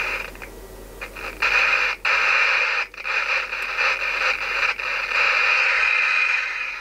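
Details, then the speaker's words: Alan 38 CB radio during servicing: hissy static scratching and cutting out in irregular crackles as the volume knob turns; volume potentiometer still dry and crackling, needs more cleaning. "potencjometr głośności jeszcze trochę trzeszczy więc możemy śo jeszcze jest bardziej suchy więc lecimy dalej"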